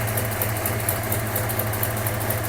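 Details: Mustang project car, starting after fuel gauge showed 0 psi though pump was heard running: it starts and holds a smooth, steady idle hum with light even beat, no knock or surging; fuel pressure present, normal idle.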